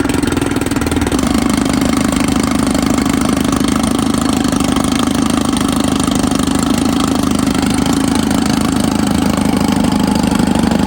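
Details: 1954 Evinrude 7.5 HP Fleet Twin outboard after new coils, cleaned points and rebuilt carburetor, running in water: even two-stroke putter at steady speed with firm low hum, no stumbles or misfires; runs normally.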